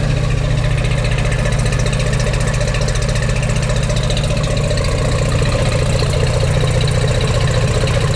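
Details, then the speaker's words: 1953 Chevrolet Corvette, factory 235 CI six, 150 HP, automatic, 6-volt system, just started on choke: very slow, lazy idle, even low chuff about four beats a second, no misses or knocks; healthy. "Oh, kind of coming to life a little bit there. It's got a very slow idle speed, so you can tell it idles pretty slow."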